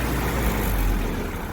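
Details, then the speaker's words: Old engine after new plugs and wires, 30 psi oil pressure, choke on: low lumpy idle sagging and wavering, nearly stalls when idle stop lowered, dies with choke opened; rough idle near stalling. "I can just about stop it in its tracks, and that's all with the choke on. If I open the choke, it dies."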